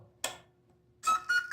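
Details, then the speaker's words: ECX 1/18 scale Ruckus RC truck, battery plugged in and switch on: a switch click, then three short beeps rising in pitch as the transmitter is turned on and the ESC arms, powering servo; normal power-on beeps. "then you'll hear all the beeps, and that sends power to the servo, sends power to the ECU, all that kind of stuff."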